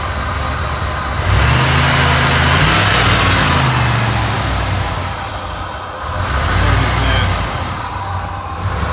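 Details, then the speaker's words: Ford F150 shortly after a cold start, blipped, tuned for gas with the gas tanks removed: revs keep rising and sagging every few seconds for a couple of minutes; surging idle the owner blames on the air filter and the gas tune. "So it does that for a couple of minutes. Again, due to the air filter, because it is tuned for gas. This is all tuned up for gas, this truck."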